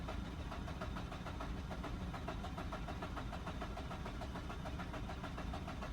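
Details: Mazda RX-8 that shut off while parking and won't restart, check-engine light flashing after earlier idle trouble; on day 2 with the battery fully charged plus charger assist: uneven starter churning that never catches. Crank, no start; cause not confirmed.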